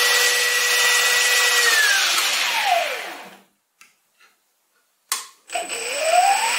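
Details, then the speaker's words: Stepper motor on DM556 digital driver, full steps, spun up to 1100 rpm, probably with little torque: clean high whine holds steady, drops smoothly as the motor slows, then climbs again, no stalling or rattle; normal high-speed operation. "again so right now you just saw this driver take this motor to 1100 rpm which is pretty impressive it probably didn't have much torque at that point but made it get there"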